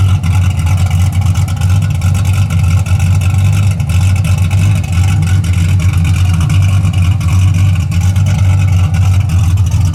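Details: 1981 Camaro V8 after a top-end swap (roller cam, aluminum heads, different intake) and retune, warm with 35–40 psi oil pressure: a deep, slightly lumpy idle with a steady rhythm and no knocks or misses. It runs clean and healthy.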